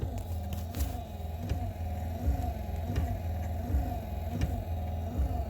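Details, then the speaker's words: 1973 Scamp wiper motor, tested via the switch after new wiper bushings: a steady low hum with an even, repeating sweep rhythm and no grinding or knocking; it works normally. "Okay, we have wiper switch in. Let's see if it works. Do I have to put them together? Yep, I do. She's working."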